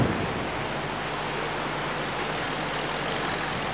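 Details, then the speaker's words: Electrolux 12 kg twin-tub washer after repair: spin motor, which had only hummed without turning, now spins smoothly with steady low hum and even whir; normal operation. "sudah bergoyang dia Uh mantap sekali"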